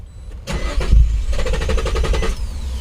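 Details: 2004 Nissan 350Z 3.5L manual, reported immobilizer problem, theft light not on, NATS module not communicating: starter spins engine with even churning rhythm for a couple of seconds but never fires; crank no start.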